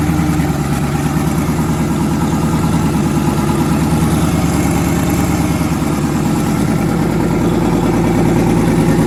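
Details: Twin-turbo engine, first start after conversion, oil pressure near 70 psi, head gaskets done last year: loud lumpy idle skipping regularly every cycle, one bank's pulses uneven; back cylinder dead; misfire.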